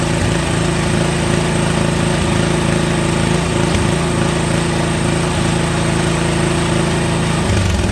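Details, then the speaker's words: Toro snowblower small single-cylinder engine, restarted after carburetor cleaning, choked and primed; steady, even buzz at constant speed with no surging or misses, running properly. Owner unsure whether it should shut off when throttle is turned all the way down. "she runs i don't know if it's supposed to shut off though when i turn it all the way down"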